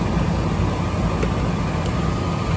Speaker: All right, she just kicked on. 49 amps from startup on our compressor. 4.3 for run.